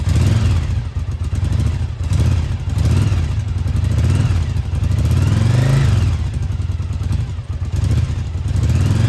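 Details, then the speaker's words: Restored Yamaha Virago 1000 V-twin idling on its first start in about a year, after a new starter, fresh gas and new intake and exhaust gaskets: deep, loping idle with a steady beat and gentle blips, no knocking or misfires. Healthy. "So there you have it. It's running. I'm really, really, really happy it's been about a year since it was running and to hear it start up again and to be running so well feels pretty good."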